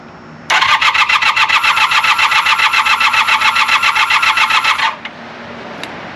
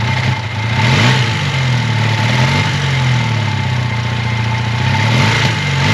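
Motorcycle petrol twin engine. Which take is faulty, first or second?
first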